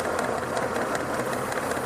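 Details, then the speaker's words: Engine idling with lean condition, listening near a fuel injector on the intake manifold: steady airy hiss over idle with faint regular ticking beneath, louder when moved; vacuum leak near the injector, exact source (manifold or injector gasket) unconfirmed. "Okay, listen. If I move this, I can hear the leak more."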